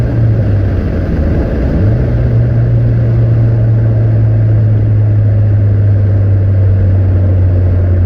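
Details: Nissan 200SX S14 driven after fitting AliExpress injectors, which fixed earlier lean-mixture jerks: smooth, even drone stepping up in pitch and holding steady under load, no stumble or surging; now revs constantly to the cutoff.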